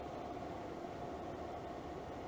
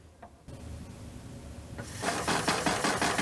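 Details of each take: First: Levoit LV-H133 air purifier after repairing a rattle, grille cover off, on medium: steady airy whoosh with faint constant tone, no rattle, slight vibration; vibration increases at top speed, still somewhat out of balance. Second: Levoit LV-H133 air purifier: a loud, fast clattering rattle builds as the fan speeds up, worst at high speeds and later at all speeds, from a loose nut on the fan; found under the fan cover.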